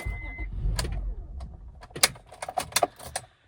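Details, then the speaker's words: 2002 Acura MDX stalling with intermittent electrical loss: key jiggled, quick run of sharp relay clicks as power cuts on and off; worn ignition switch losing contact (owner unsure if switch or harness). "Here, you can hear it clicking on, off, on, off."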